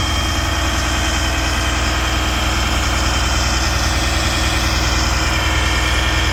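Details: Abandoned military M1078 LMTV diesel truck, first start after long storage with a supposedly failed starter, running on old JP-8: loud, heavy idle with an uneven, lumpy beat of about three pulses a second; rough idle.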